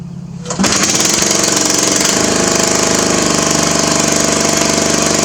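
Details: Craftsman mower with muffler removed: starter catches, then loud raw rapid barking exhaust rattle at steady speed; engine running without muffler.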